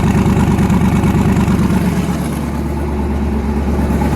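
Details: Newly twin-turbocharged engine, first start after conversion, lumpy uneven idle with a skipped beat in the exhaust pulses; back cylinder misfire from stuck-closed valve, head gaskets done last year, fuel line weeping.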